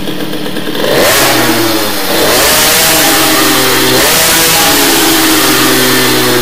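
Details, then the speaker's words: Teknix T6 two-stroke moped with BOOST cylinder head, revving up with a thick, burbling, lazy note that is not crisp and sounds nothing like the Doppler head; running too rich, main jet will be lowered. "On s'entend, hein, c'est gras comme bruit, gras."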